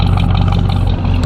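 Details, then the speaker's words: Oldsmobile Cutlass 307 V8 idling after a restart, back from the mechanic: deep, steady idle with a slight rhythmic lope, as if it has a slight cam. Healthy running; expected to smoke a little at start. "there we go listen to it y'all listen to that ground it sounds like you got a slight cam in it but you feel me"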